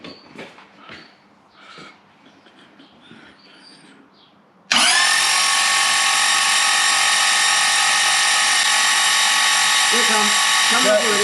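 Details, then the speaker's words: Toyota 1UZ-FE V8 for a Lamborghini kit car, Link Monsoon ECU, cranked with spark plugs out to prime oil: quiet start, then a steady, even high whirring as it spins cleanly; oil pressure reaches 400 kPa, judged enough. "yeah we got 400 kpa i think that's enough yep yep yep let's put some spark plugs in and make them go"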